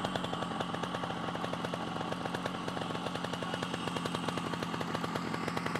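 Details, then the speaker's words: Yamaha RXS 115 two-stroke project bike just restarted, cold and warming, air filter and airbox missing: a slow, lazy putter with a steady popping beat and no throttle blips. Idle set too low and needs raising. "Tak cukup idol. Kena tinggikan sikitlah idol tu."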